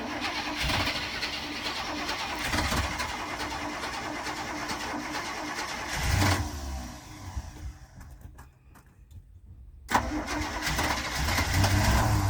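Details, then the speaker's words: 1985 Winnebago Windsor motorhome, 454 big-block V8 with Turbo 400, 32,700 miles, sat nearly 17 years, run on temporary bottle fuel feed; cranks, catches, runs even and steady with no knocks or misses, oil pressure good; engine starts and runs. "have oil pressure that's good that sounds like all you got to do is keep feel going in it"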